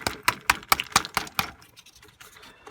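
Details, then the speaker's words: Hoover HNL2126 washing machine drain pump housing removed and tapped by hand, dust falling out; sharp hard clacks about five a second then scattered light ticks as loose debris (suspected hair clip or similar) rattles inside the pump housing. "So just tap that, and there's dust coming out through here. So you might be dislodging it a bit there. You can hear that rattling. There's definitely something in"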